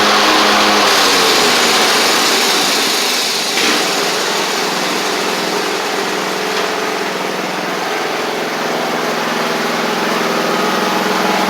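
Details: Craftsman riding mower after repairs including a lubed blade-engage cable, driven out: small engine holds a steady, even buzz with no misses, clicks or knocks; running smoothly.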